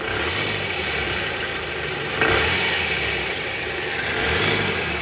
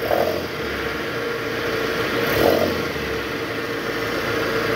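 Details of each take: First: Toyota Harrier at high mileage, idling and revved to about 1000 rpm in reverse with AC on, after belt tensioner replacement: a smooth run with the earlier growl gone, confirming the worn tensioner as the cause. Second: Toyota Harrier, AC on, in reverse, revved to about 1000 rpm: rough, gritty growl over idle swelling with the rev, from a vibrating worn belt tensioner with a weak spring, before replacement.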